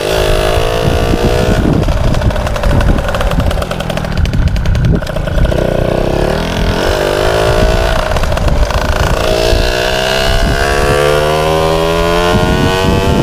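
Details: MBK 51 two-stroke moped: steady buzz that picks up cleanly as the throttle opens and closes; runs and revs normally.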